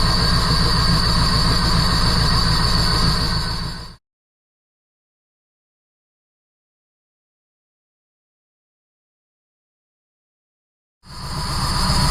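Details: 1977 Jeep CJ7, 350 small-block Chevy with Holley Atomic EFI TBI, after a new Bosch O2 sensor, tightened exhaust manifold flange bolts and a tune near 14.0 AFR: the V8 idles with a loping, uneven pulse. Cause unconfirmed; owner suspects exhaust leak or timing chain.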